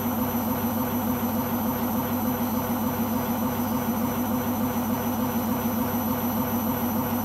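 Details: Beko washing machine, described as on its last legs, during spin: constant heavy roar with a throbbing pulse about 100 per minute; owner suspects the rubber behind the drum, cause not confirmed.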